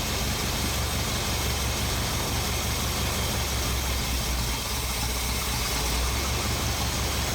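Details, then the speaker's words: 1980 Ford F-350, freshly installed 460 big-block V8 after break-in; loose, uneven loping idle, carburetor not dialed in, one idle screw does nothing; suspected carburetor gasket or intake/exhaust leak, confirmed by smoke test: rough idle from untuned carburetor. "It's not dialed in, but you get the idea. Now let's check the other side. That's the mixer screw all the way off. That tells me we got an exhaust or an intake leak going on around the carburetor somewhere."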